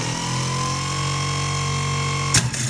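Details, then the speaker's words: 1984 GMC Jimmy 350, new replacement starter bench-tested for comparison with the old chattering one: steady, even electric whir with a clean constant tone and no chatter. Healthy starter. "much much smoother much nicer not chattery this is how it should look"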